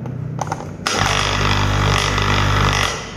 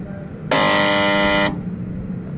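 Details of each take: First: Air conditioner compressor previously stuck, after adding compressor oil and fitting a larger 50 µF capacitor: steady low mains hum starts, holds evenly a few seconds then cuts off; compressor now starts and runs normally. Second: AC compressor that won't start: loud, harsh electrical buzz for about a second then abrupt cutoff, locked-rotor hum of a seized compressor; technician plans to replace the 35 µF capacitor with a 50 µF one.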